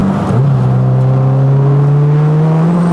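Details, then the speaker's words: 600HP turbo Honda Civic with a new relocated Tial MVS blow-off valve, intercooler piping, radiator, downpipe and full exhaust: a hard full-throttle pull with the note climbing cleanly, traction-limited, and clean blow-off valve venting. Healthy. "Oh my God. Traction is an issue, but man, that was awesome. The blow-off valve noise is so clean."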